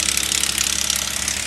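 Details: 2008 Subaru Outback 3.0L flat-six L.L. Bean, 200k miles, idling with accessory belt removed: fast dry metallic rattle remains, pointing to the timing chain.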